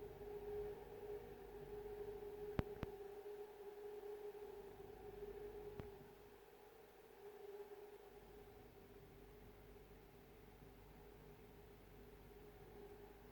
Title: Haier fridge weird noise